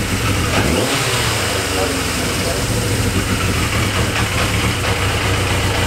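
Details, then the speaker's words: Yamaha XJ650 four-cylinder cafe racer project idles with an uneven, loping, lumpy beat; owner suspects it just needs carb idle adjustment, with leftover debris still coming from the exhaust. "so you can see what I mean the idle it's a little bit lumpy on the idle"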